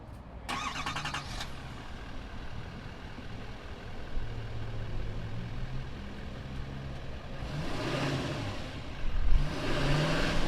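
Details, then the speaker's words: 2020 Chevy Silverado 2500HD LTZ, 6.6L Duramax turbo-diesel V8, 445 hp, 10-speed automatic: a brief crank catches quickly, then a quiet, even diesel idle with soft clatter and no knocks; healthy. "this is that turbo diesel that Duramax while we go ahead though fire it up and see what it sounds like"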